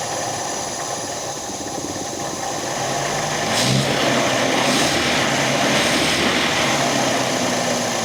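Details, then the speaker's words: MGB, first start, low compression on two cylinders, timing possibly too advanced: cold engine revs rise and fall instead of holding steady because the choke would not stay out; surging idle. "The choke was um not staying out. That's why it was going up and down to begin with. That was me trying to keep the bloody choke out."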